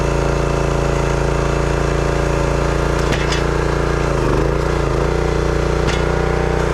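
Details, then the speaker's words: Brute 30-ton log splitter, Briggs & Stratton engine (9.5 ft-lb gross torque, roughly 5-6 hp), after no-start repair: pulls steadily through splitting load with even beat, no misses or stumbling; runs healthy, though seemed underpowered. "But everything seemed to work good on it. It ran really good for a few chunks of wood, so I'm not sure how much I would recommend these Brute splitters."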